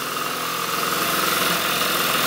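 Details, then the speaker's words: Suzuki Trail Hopper after carb clean, throttle fix and fresh oil, cold weather: small single-cylinder idles smoothly, steady light buzz, no misses or knocks, sounds much better. "All right, we got the throttle to work and everything. Sounds a lot better now. Oh yeah. listen to it purr like a little kitten."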